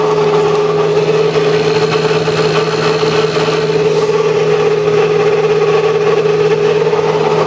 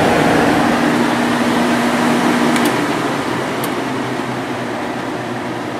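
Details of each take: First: 1995 Sharp Comfort Touch 10,500 BTU air conditioner: loud unchanging drone with a steady high whine over the fan rush from a dry, worn fan motor bearing; oiling was tried first, and the bearings were later replaced. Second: 1995 Sharp Comfort Touch 10,500 BTU window air conditioner fan motor after cleaning, bearing replacement and oiling; steady quiet airflow hum with no squeal, rattle or bearing grind, running smoothly.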